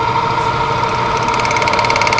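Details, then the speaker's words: Monarch CK12 lathe at 53 rpm spindle speed: light rapid ticking over a steady hum only with the clutch fully engaged, gone when the clutch is lifted slightly; cause unknown, may need adjustment. "so if you can hear that there's a clicking noise when the when the clutch is fully engaged but if I just lift on the clutch just slightly that clicking will go away"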